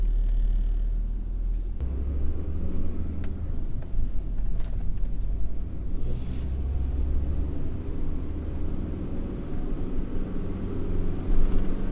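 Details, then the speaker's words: Yage, road test after the wheel bearing was replaced: only low even road rumble, no growl rising with speed, previous noise clearly gone; normal wheel bearing. "声音很明显的不见了。"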